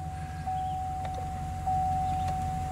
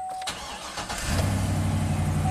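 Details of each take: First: 2013 Chevy Silverado 2500HD with code P0340 camshaft position sensor circuit fault: starter churns steadily about four seconds, engine tries to catch but never fires, with a steady chime; extended crank, no start, attributed to the cam sensor fault. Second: 2013 Chevy Silverado 2500HD after repairing a camshaft position sensor circuit fault (P0340, long crank complaint) and clearing codes: brief crank, catches within a second and settles to a smooth even idle; normal quick start, no DTCs.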